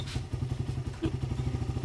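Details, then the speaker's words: Timing chain side quiet after tensioner/timing work: steady low thumping idle, about ten pulses a second, with no chain rattle or "helicopter" whirring; normal, healthy idle. "Yung timing kayo, boss, okay na. Hindi naman nakita, boss, eh. Tahimik na. Wala na yung parang helicopter."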